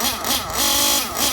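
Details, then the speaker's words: Well broken-in RC nitro engine with no mechanical pinch and good oil seal, being warmed up: high buzzy two-stroke note rising and falling smoothly with throttle blips, no hesitation or sag; idles very smooth, normal idle and revs. "This engine has no mechanical pinch left. It has a good oil seal. So it idles very, very smooth. And it screams down the straight."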